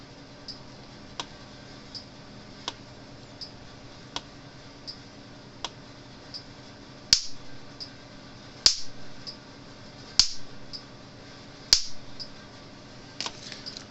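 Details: Cyclops Master AC fence charger, a 2015 unit about five years old, after repair: sharp, evenly spaced snaps about every second and a half, each crisp and strong; a hard-hitting, healthily pulsing charger.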